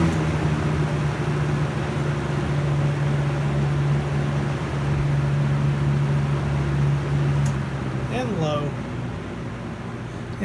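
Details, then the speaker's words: 95-96 Lasko box fan reassembled after service with new thrust washer, test on high then spin-down: steady low hum and air rush dropping in pitch, slight post-reassembly noise, no rattle; runs much better, normal. "it's working tons better than it did before let's do a spin down and of course it makes just a little bit of noise after they get reassembled like it always does"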